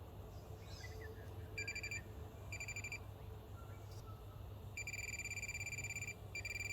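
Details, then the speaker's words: Minelab Pro-Find pinpointer scanned over open ground like a mini metal detector: short high-pitched beeps in quick repeated bursts, not a steady tone, indicating ferrous material rather than gold. "it's telling me that it's not gold it's probably ferrous material"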